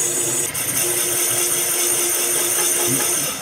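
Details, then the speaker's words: Boring bar enlarging a Honda CB750 cylinder from 61 mm to 65.5 mm (850cc big bore): over the cutting hiss a steady mid-pitched squeal holds about two seconds then fades; tool chatter, cured by briefly switching off to change speed. "another thing about this machine his little chatter sometimes and all you gotta do is turn it off for a second and let the speed change"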